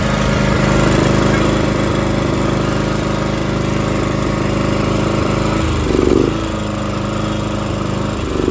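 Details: John Deere X300R single-cylinder mower chugging unevenly with surging, hunting idle; Chinese aftermarket carburetor's choke valve spring failed so the choke stays closed, fixed with a cable tie.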